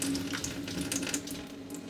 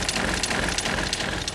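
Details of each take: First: RV fresh-water pump in a 2023 Airstream Globetrotter after installing an intelligent pump controller (IRVWPC2): steady, quiet low flow with only a faint pump hum, no surging or banging as before; pump runs smoothly. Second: 2023 Airstream Globetrotter RV fresh water pump at medium faucet flow, before fitting a variable pump controller: buzzy mechanical rattle with uneven pulses as the pump surges on and off.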